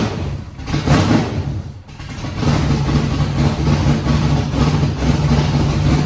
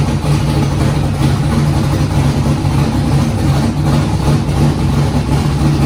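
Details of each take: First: Foxbody Mustang 408 V8, Holley Terminator X wizard tune, first start after fuel pressure set: catches with a stumble, runs lumpy only held just off idle, won't idle on its own; next step is manually cracking the throttle blade open. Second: Foxbody Mustang with 408 V8 on Holley Terminator X, first start: steady even low rumble with no misses, knocks or hunting; idled great through first heat cycle, up to temperature; smooth settled idle.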